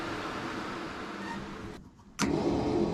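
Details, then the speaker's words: 1967 Dodge Dart drag car after installing a new Painless wiring harness, testing switches: faint hum, brief drop, click as electric cooling fan kicks on to a steady even whir; fan operational, normal. "Okay, well, let's check other things. I can mess with that in a minute. Electric fan, operational."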